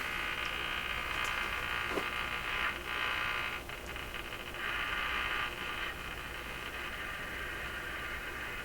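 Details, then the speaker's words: AM radio during IF alignment with a sweep generator, run on reduced mains of about 105 V, tuning the band after trimmer adjustment. A harsh steady buzz over hiss swells and wipes out stations; source unknown. "So there's stations right in this area. Totally wiped out from whatever that noise is we're hearing."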